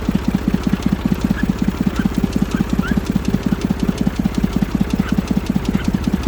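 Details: Massey Ferguson 35 three-cylinder diesel, seized 20+ years in the woods, tow-started in third gear high after the starter failed; it fired after about 300 yards of building compression and heat. Even, regular chugging around 160 beats a minute, running on its own: diesel engine running.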